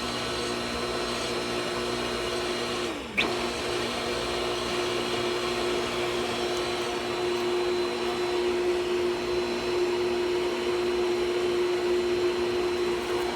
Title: Pool pump making grinding noise and making weird noises part (2/2)